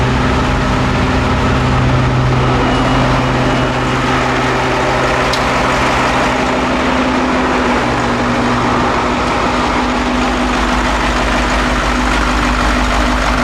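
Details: Caterpillar 225 BLC excavator diesel after head reinstalled with new bolts, valves adjusted, new ignition switch and coolant refilled for a water leak: steady, even rumble at idle with no misses or knocks; running smoothly.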